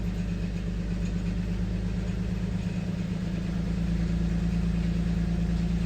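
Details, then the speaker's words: 2007 Nissan Xterra V6 with P0300 misfire, plugs and all six coils already replaced, rough idle during an injector cut test. RPM rises and it runs smoother with cylinder 1's injector shut off, and misfires worse when re-enabled, confirming a cylinder 1 misfire. "Actually, RPM increased and it sounds like it's running better with number one shut off. Okay, exit. Yeah, now it's misfiring worse now that I turn the injector back on."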